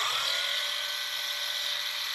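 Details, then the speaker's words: Ryobi battery-operated polisher after grease replacement, lowest speed: smooth, even high-pitched motor hum with no grinding or rattle; quiet and smooth, some battery noise, vibrates a little only at higher speeds. "I mean obviously you're going to have motor noise that's normal um but it's really quiet otherwise very happy with very smooth to operate"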